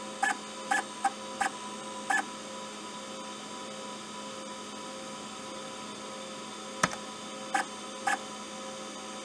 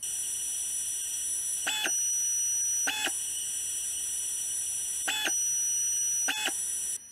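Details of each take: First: IBM PS/2 hard drive seek sound faked by an Arduino driving a stepper motor, triggered by the activity LED with 10–500 ms delays: squeaky, irregular chirps like head seeks over mains hum; it works as intended and sounds realistic. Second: IBM PS/2 hard drive stepper motor run by a small controller board, idling: a steady high-pitched whine with occasional clicks, produced whenever the board's current limiter is limiting. Stepper motor whine from driver current limiting.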